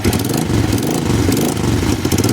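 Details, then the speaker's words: 1988 Honda Bros 400 V-twin after main jet correction, since earlier it faltered at around 6,000 rpm: lumpy, loping low rumble at idle, the engine's natural Harley-like character, and it now revs to the limit fine. Normal V-twin idle. "ngayon okay na kahit biritin mo siya ng sagad ayos ano parang ano ang tanog pala talaga no harle o yugyog ano"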